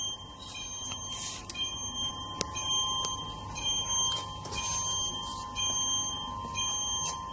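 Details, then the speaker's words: IOPAK MECH carton erector in automatic production: high beeps repeat about once a second over the machine hum; alarm from the empty-carton detection sensor as the carton magazine runs out, also shown on the touch screen. "When you hear that noise, it's alarm. In these cases, is the magazines running out of carton, the empty carton detection sensor."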